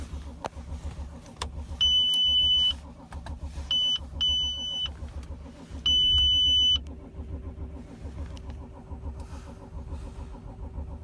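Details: 2006 Audi A6 4F 2.7 TDI quattro diesel, cold: starter turns the engine over in a steady low churn between dash chimes, never fires; crank, no start when cold.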